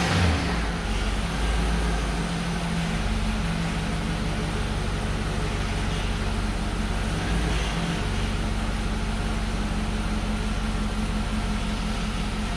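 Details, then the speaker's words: Truck started after installing home-built towing 4L80E transmission, transmission and transfer case filled, exhaust and driveshaft back on: fires and holds steady low even idle, no knocks, whine or clunks from engine or gearbox. "I'm gonna start it up and make sure it moves. Should start right up."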